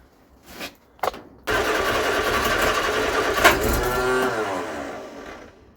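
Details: Vauxhall Viva HC barn find, cranking during no-start troubleshooting: steady starter churn around three to four beats a second with no firing or catch. Engine turns over fine but gets no fuel; found to be out of fuel.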